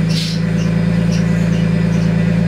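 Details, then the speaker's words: Nissan Skyline started after a week sitting, cold weather: steady idle with constant low drone and faint whirring from the belt area; owner unsure if belts or pulleys are failing, believes power steering. "now I don't know if it's the belts or the pulleys itself that are going bad I'm gonna get to that when it's a little bit nicer out it's the power steering though you can hear it"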